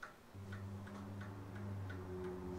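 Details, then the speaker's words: 1920s Seth Thomas Sentinel mantel clock, roughly 100 years old, wound and pendulum started for the first time since purchase: crisp, even ticks about twice a second with no skips or limping beat; movement running healthily. "So now, if I'm not mistaken, we just get the ball rolling and see if it works. Well, seems to be running."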